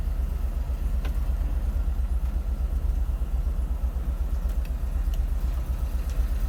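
Deep air-cooled rumble with a faint, uneven tapping riding along at idle, typical of piston slap in a worn cylinder.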